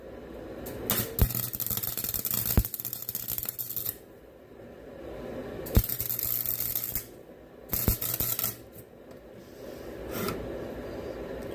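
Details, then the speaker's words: Welding while fixing an end table: short crackling arc bursts broken by sharp pops, caused by a poor ground clamped through paint. "I don't know if you could hear that popping noise, but that means, that's because of the ground, and I kind of tried going through the paint. It did, but it just wasn't very good ground."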